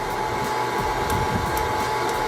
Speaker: you can hear that light crackling I don't know if you can over the motor that's second crack